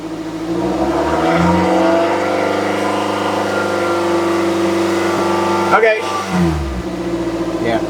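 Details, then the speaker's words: 2006 Toyota Matrix 4WD revved after replacing the muffler and adding the missing exhaust gasket under the clamp. Smooth, even exhaust note with no puffing or ticking at the gasket joint; exhaust sounds healthy, no leak. "Feels good and sounds better, too."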